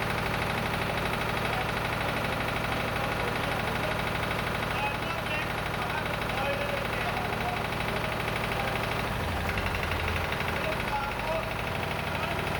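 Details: Lister emergency air-compressor diesel on the M/V Steve Irwin warming up before loading: slow, even thump about three beats a second with steady mechanical clatter; sounding good, normal idle.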